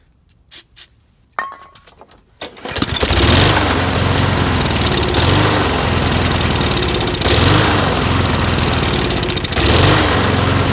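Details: Lawn mower started while checking fuel squirting from the carb jet: after a few pulls it catches, then surges and sags every couple of seconds. It was fuel starvation from clogged channel holes in the float bowl bottom bolt, not yet cleaned.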